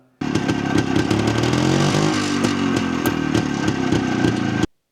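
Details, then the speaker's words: Jawa 250 type 353 two-stroke motorcycle while riding, after the engine was brought back into running order: engine buzzes under load with short, sharp intermittent chirps; cause uncertain; owner plans to pull the cylinder to check piston rings and the ignition timing. "Siitä kuului semmonen pieni ääni, mistä en ollut ihan varma, että niinku mistä se johtuu. Saattaa tuossa videollakin kuulua semmonen terävä chirpsahus aina."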